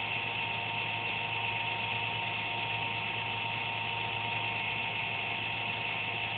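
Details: Computer noise heard once or twice a day with no performance loss: a thin, steady high buzz with a faint hum under it, no rhythm or knocking; the owner suspects the fan, unconfirmed.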